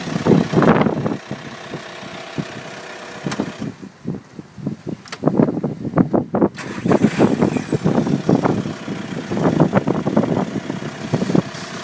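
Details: Skoda Octavia vRS PD170 TDI diesel with new recall injectors, cold start at 3°C: uneven lumpy idle with irregular clatter that surges and sags instead of running steadily.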